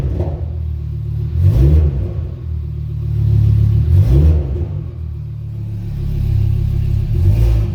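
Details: Rebuilt Audi RS3 DAZA engine on a leak-check run with oil at 71°, exhaust flap opened (modified downpipe): a deep full rumble swells with each throttle blip and settles back cleanly. Healthy, normal revving.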